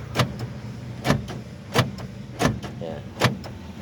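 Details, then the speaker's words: Car central locking after correcting the alarm wiring that had stopped the main actuator commanding the other doors; locking or unlocking at the main door now moves all doors together, with sharp simultaneous clunks about every 0.7 s, function restored. "pag nilla-lock unlock yung sa main sasama na lahat. So yyan bumalik na 'yung function niya."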